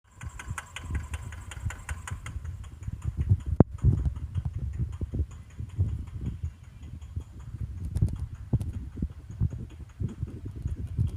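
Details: Engine with white smoke running rough and low with heavy irregular knocking thumps; it will not rev or pick up rpm.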